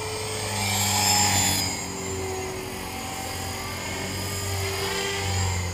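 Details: Trex 450 RC helicopter test flight after a crash, fitted with a Common-Sense RC TR450-35 3500kv 500-watt motor, 13t pinion and a smaller lipo: high steady whine over the rotor whir, strongest at early spool-up; bad, squealing main bearing.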